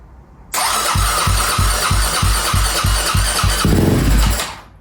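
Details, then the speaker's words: KTM 250 SX-F, first start after restoration work and electrical repairs, choke on; even thumps for about three seconds, then a crisp burst before cutting out. Normal start. "Oh. Okay. All right, I don't want to risk anything, but that sounded really good."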